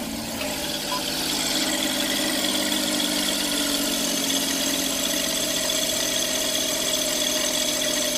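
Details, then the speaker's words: Every van at idle with the AC compressor belt removed: thin constant whirring hum, quieter from inside, louder outside, maybe worse; bearing noise remains, suspected in the alternator, water pump or crank pulley, not confirmed. "well I'm not hearing the same noise I was hearing before so that's a good sign well perhaps the noises just lessened yeah on when you're outside the car you can hear it a lot worse yet still there maybe even worse now"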